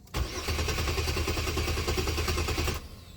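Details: 2002 Chevy Malibu, fuel pump heard running with key on: steady starter cranking about three beats a second for three seconds with no firing; cranks but won't start, cause not yet found, fuel pressure to be checked.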